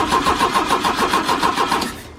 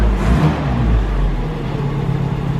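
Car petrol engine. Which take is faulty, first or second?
first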